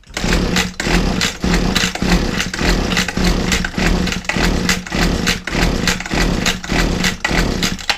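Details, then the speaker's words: Old Husqvarna 22R strimmer found as scrap, compression present, with a bit of choke and throttle: repeated pull-starts give only the recoil whirr with no firing; cranks but won't start, owner suspects no spark or petrol not igniting. "Bit of choke. Bit of throttle. Nothing."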